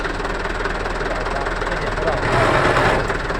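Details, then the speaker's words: Mitsubishi Canter truck manual transmission, raised and run before disassembly for complaint of rough growling noise; rough gravelly growl with uneven knocking rhythm while gearbox runs: transmission bearing growl. "keluhannya itu [Musik] bunyi grok guys bunyi kasar kita cek analisa kerusakan kita analisa dulu kerusakannya sebelum dibongkar"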